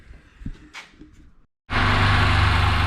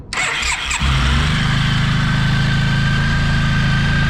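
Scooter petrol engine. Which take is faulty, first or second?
first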